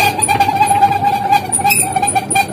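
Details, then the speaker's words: Sanyo Aqua twin-tub washer: rough, noisy, squeaky whine from the pulsator. It spins well empty but weakly or not at all with water and clothes, audible from 5–10 m, due to a damaged gearbox and wash motor. "teman-teman lihat ataupun dengar putaran pada bagian pulator di sini sangat berisik dan kasar"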